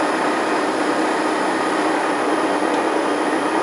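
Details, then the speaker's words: Transfer box with 1.4 transfer gears on a test bench, 1945 rpm: steady even gear whine with constant hum, no knocks or grinding; normal tooth noise, new support bearing working well. "so when you're driving your car you wouldn't hear that it sounds bad but it isn't really it's just the teeth that just sort of thing"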